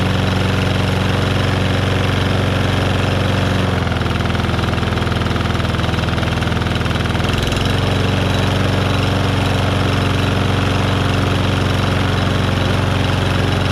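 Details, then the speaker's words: Lawnmower petrol engine test run after replacing a bent crankshaft; steady, even putter at constant speed with no knocking or misses; blade still slightly unbalanced with a little shake, far less than before; running healthy. "so there's no knocking noise nothing doing anything it shouldn't do"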